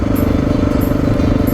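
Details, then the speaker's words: 2000 Honda XR600R, riding: even steady single-cylinder thump, runs smooth with good power and no ticking, though rider senses the cam chain may be dragging on worn sliders. "the motor runs smooth about the only thing i can say about it is it i mean it runs smooth and it's not ticking or anything like that"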